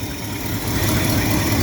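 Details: 408,000-mile small block 350 in a 1979 Chevy C10, steam from tailpipe, milky oil and PCV valve, lost a lot of coolant: steady, slightly uneven low-rumble idle; owner suspects blown head gasket or intake manifold gasket coolant leak.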